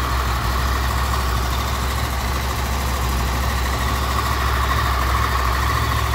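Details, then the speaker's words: Honda VFR800 VTEC, 58,200 mileage, cold idle: fast, loose rattle over the engine note, heard mainly on the right side, strongest at the front cylinder, barely audible elsewhere; stretched cam chain (timing chain) rattle, chain later replaced. "причем звук хорошо слышен с правой стороны в основном идет с переднего цилиндра потому что здесь практически его не слышно"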